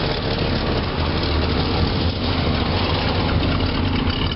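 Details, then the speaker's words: 1976 Pontiac Catalina V8, about 115,000 miles, Turbo 400 automatic, 4-barrel carb, heard at the exhaust; even smooth low rumble, no misses, ticks or surging, no smoke; idling cleanly. "you can see, it's not smoking or anything. This car does run pretty good."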